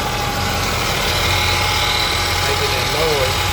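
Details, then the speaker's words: 1976 Cadillac at warm idle after timing work: thin, steady high whine over the engine from the alternator; replacement alternator awaited. "So you can hear that alterator"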